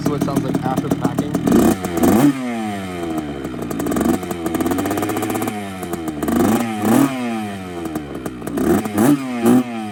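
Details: Two-stroke bike after replacing the silencer packing: crisp ring-ding blipping up and dropping back cleanly several times, even and free-revving, no rattle; normal, healthy exhaust.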